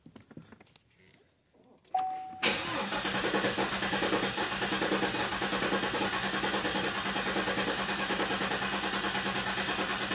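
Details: 2015 Cadillac Escalade 6.2L V8 with a cylinder 3 misfire, crank-no-start relative compression test: steady cranking with a regular loud-soft beat about three times a second, one stroke weaker each cycle; low compression in one cylinder.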